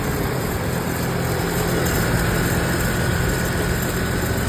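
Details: GMC Envoy petrol SUV at first start-up just after a new alternator install, idling with a steady, even low hum free of knocks or squeals. The old bearing may have caused the earlier noise.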